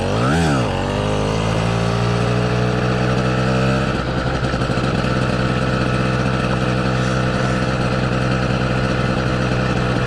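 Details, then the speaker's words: Southern Custom CC hybrid motorized bicycle engine: a quick rev drops away, then a steady droning hum under the engine as it winds down off throttle, matching a vibration felt in the bike on deceleration. "i mean you guys can hear the vibration that hum every time i let off of the throttle when it winds down that's what i'm actually feeling in the bike at that exact frequency"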